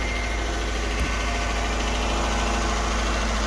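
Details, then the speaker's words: 2009 Dodge Journey 3.5 L V6 at a low, smooth, even idle with no stumble or skip, at first start-up after replacing the spark plugs and one misfiring coil. Normal idle. "This is the same one I replaced the radiator in a while back. I think we're running pretty good here."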